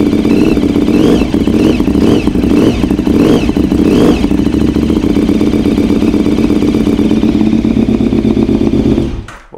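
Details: Reference V-twin motorcycle used for comparison with a clattering 2003 KTM 950 Adventure: a loud, even idle through much louder exhausts, yet no ticking or clatter from the timing side. This is the normal, healthy sound.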